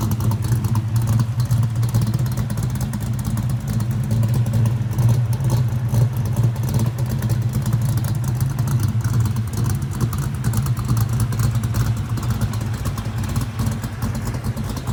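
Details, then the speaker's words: Ford 347 stroker V8 with Anderson N91 cam, 205cc 11R heads, 750 carb, after lifter change, heard from the rear: deep loping idle with uneven chop about twice a second, no ticking; front extremely quiet, healthy big-cam idle. "Well, I say that. Every time I do a video, it sounds like a bag of rocks rattling around. But to the, to our ear, it sounds extremely quiet up front."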